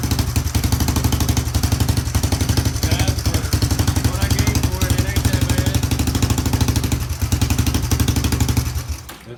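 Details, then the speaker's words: Kawasaki ATV on its first test run after a new carburetor was installed, fed from an auxiliary fuel tank: open, unmuffled idle popping about four times a second with an occasional uneven beat; owner suspects it may need a new spark plug. "seems to run pretty good like I say I've got a little skip may need some time and work and it may need a a new plug"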